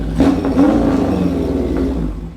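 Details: 1977 Kawasaki KZ1000 with 4-into-1 exhaust, revived after sitting a year, warmed up: a quick crisp blip of revs that drops back cleanly without misses or rattles; engine sounds good, normal running.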